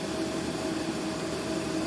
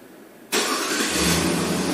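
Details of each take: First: 2006 Jeep Grand Cherokee 4.7, which had stalling and irregular idle mainly from a faulty TPS, restarted after stalling in the shop: a steady, even idle hum with a faint constant tone, idling fine. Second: 2006 Jeep Grand Cherokee 4.7 with faulty TPS, transmission oil temp reading -2.8°F key on, engine off, then 117°F: it starts sharply, idles unevenly, then stalls by itself and won't restart.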